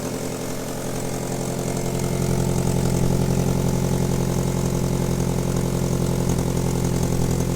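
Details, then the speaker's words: Ford Focus RS Mk1 with Garrett GT28 turbo, sat about 4 years, idling: rough, lumpy running at about 220 uneven pulses a minute with a puffing chuff; bad misfire plus a badly blowing exhaust manifold with missing studs, inlet leak also suspected; won't rev under load. "it's got a terrible misfire at the minute really really bad won't rev under load tons of little problems for it"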